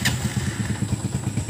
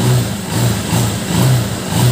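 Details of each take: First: Honda TMX 125 Alpha single-cylinder motorcycle at cold start: a loose, uneven thumping idle at about five beats a second that stumbles and dies on throttle. The cause is put down to fuel in the carburetor, and it needs choke and warm-up. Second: Honda TMX 125 Alpha single-cylinder motorcycle, now fully warmed up after a cold start, starts easily and revs cleanly on throttle blips, settling back without dying. When cold it stalls on throttle because of contaminated fuel and moisture in the carburetor.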